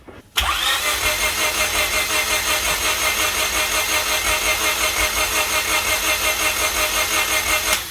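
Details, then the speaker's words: Honda Civic hatchback engine on a frosty day near -5 degrees, battery possibly weak, after long troubleshooting: catches after cranking, runs a rough, uneven idle about seven seconds, then cuts out and won't keep running; cause unconfirmed. "uh as you just saw i couldn't start it it started for a little while um"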